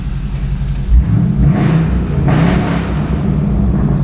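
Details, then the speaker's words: 2008 Pontiac G8 GT, 6.0L L76 aluminum V8, 6-speed automatic, check engine light on, likely no catalytic converters: deep even V8 rumble swelling smoothly on throttle and settling back, no knocks or ticks; sounds healthy. "Sounds good, make a nice dropout. Aluminum V8s are great for your hot rod swaps."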